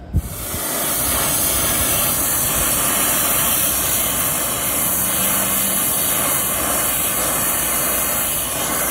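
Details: Vacuum pump evacuating line sets on a new Hoshizaki ice machine install, reaching 956 microns: steady even hum with constant airy hiss, no knocks or surges; running normally.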